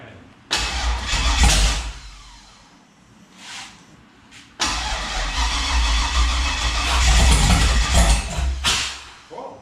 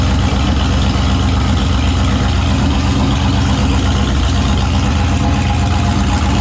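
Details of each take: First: Turbo 5.3 LS-swapped Mustang on a weak battery with charger: long cranking with uneven, stumbling catches before it fires rough; misfire found to be ignition coils plugged in wrong (flipped). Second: Turbo 5.3 LS V8 Mustang build, first successful naturally aspirated startup after fixing a weak-battery starting issue and swapping the passenger-side injector harness wiring; heavy low even rumble holding a steady idle without stumbles or misfires, normal idle.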